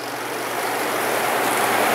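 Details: Panda B45 portable twin-tub washer (10 lb), about a week old, separate spin compartment run about a minute and a half with lids closed: smooth rising whir, fast and even, water draining out the tube, no knocking. Normal spin cycle.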